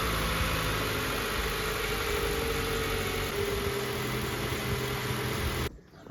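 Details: Honda Civic D16V1 four-cylinder petrol engine after camshaft seal oil leak repair: steady even idle with no knocks or ticks before switch-off; runs fine, problem fixed.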